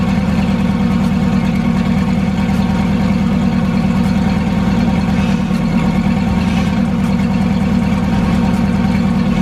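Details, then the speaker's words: Turbo Foxbody V8 idling smoothly after an EGR block-off plate install fixed its idle, with the turbo sound audible. A loud, steady, even deep beat with no stumbles or dropouts, a healthy normal idle. "and as y'all can hear and see we are pretty good I love the fact that you can hear the um the turbo sound like like coming straight up and out so she sounds good she's idling great"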